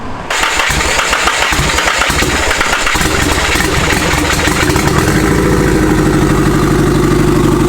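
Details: SR20DET-swapped Nissan S13 coupe restarted after its first start, with no downpipe: it cranks, catches and settles into a lumpy, uneven idle. Timing and idle still need adjusting and it is probably leaking boost; the cause of the roughness is unconfirmed.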